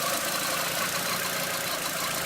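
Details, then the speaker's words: 20th-anniversary VW GTI at idle after sitting two months, run 20 minutes weekly: faint, short chirps recurring over a steady, hissy idle; a new intermittent squeak, origin not pinned down. "yeah so I'm definitely noticing that squeaking noise I wasn't before"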